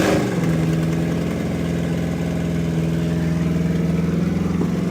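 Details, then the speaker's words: 1964 Chevrolet El Camino LS-swapped V8 after fuel system hooked up, first start: deep steady rumble settling into even idle, no knocks or misses, sounding stronger; normal idle. "all right so we're going to give it some some power see it it sounds way stronger now too"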